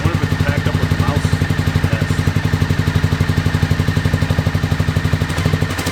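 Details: 2001 Honda VFR Interceptor V4 after nearly a decade in a barn, old fuel, FI light on; pipe heat test suggests only cylinder 3 fires, 1, 2 and 4 dead. Lumpy hollow pulsing exhaust about four beats a second: misfire, one cylinder.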